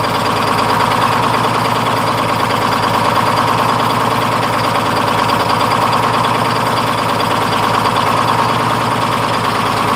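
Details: 1948 GMC Silversides PD3751 Greyhound bus, Detroit 6-71 two-stroke diesel after in-frame rebuild and fuel priming: steady, even diesel clatter with constant blower hum, no misses or knocks; normal, healthy idle.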